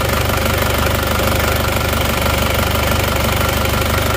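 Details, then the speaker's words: Isuzu Panther diesel after new pistons, rings, liners and oil-leak repair, injectors calibrated and judged 85–95% serviceable, warmed about one minute before driving; steady even clatter at idle with regular beat, no knocks or misses. Normal diesel idle. "sebelum kita pakai untuk jalan-jalan kita dengarkan dulu suara mesinnya terasa halus"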